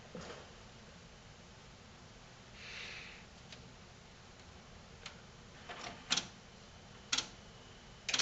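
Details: Sony HCD-GRX10AV mini system with 3-CD changer and twin tape decks, stuck in one mode: faint fan hush, then sharp clicks about a second apart as the CD checks positions before shutting to standby. Cause: missing tape deck belt.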